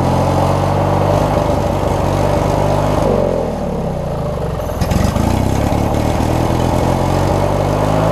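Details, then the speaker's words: Craftsman riding mower, 19.5 hp Briggs opposed twin, after setting the governor and adjusting the governor spring: runs steady and fairly high, dips briefly mid-clip then climbs back; governed speed set a little fast, to be backed out. "okay so I think I went a little bit on the fast side just a little bit so I'm gonna back that out a little bit"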